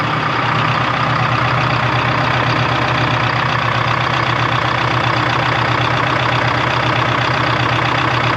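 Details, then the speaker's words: 1976 Ford F250 with a Detroit 4-53T two-stroke diesel: a heavy idle with a slightly uneven beat of about three pulses a second, right after the idle was adjusted. The idle still isn't right and runs rough. "so i adjusted the idle i started playing with it ain't right yet so it's like a digital attack"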